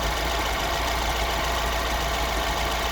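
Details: Mini with N14 1.6 engine, the known-good comparison car with the same engine as a crank-no-start car: steady, even idle with a smooth low hum, no knocks or misses; healthy.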